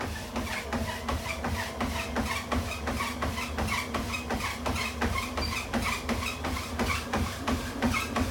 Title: Tunturi T40 making noise